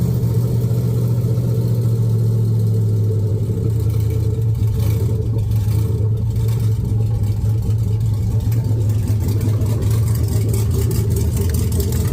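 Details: Chevy S10 with LS V8 swap, first fire-up with a red-blue harness on a reprogrammed red-green computer: deep steady V8 rumble at even idle, no knocks or misses; paint smoking off manifolds; healthy.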